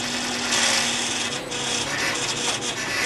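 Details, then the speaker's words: First DIY CNC router dry test run, no cutting, NEMA 34 steppers on 1/2 inch 10 TPI threaded bar with aluminium direct linkage: raspy scraping and constant whine, noisy with vibration issues; owner wonders if the linkage is the cause. "This is a test run. It's a bit noisy and I've definitely got some vibration issues,"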